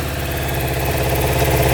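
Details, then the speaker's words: Suzuki Quadzilla quad with swapped KZ 750 engine, choke off, restarted after test ride: even, steady idle with smooth low rumble, no misses or knocks; fires right back up, healthy. "not bad at all it fires right back up too"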